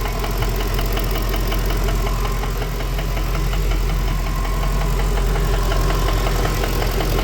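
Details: Ford BA Fairmont V8 idling after timing chain job: deep, uneven knock about four per second over the idle, not from the timing/front but from the back/center of the engine; owner suspects a worn piston pin, unconfirmed.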